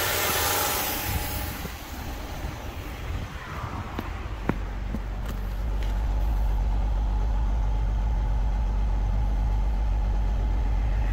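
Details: Honda Civic EK VTi sedan, just bought, started cold on a cold day with an extra battery: it runs fairly smooth at idle, but a faint constant hiss points to a vacuum leak still to be found.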